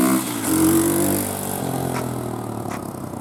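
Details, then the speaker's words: eBay 125cc 4-stroke 4-speed pit bike engine newly installed in an old Apollo DB18 dirt bike: small single revs up crisply then settles into a steady even beat, no knocks or misses; runs healthy. "Engine fit in there pretty good. It runs pretty good."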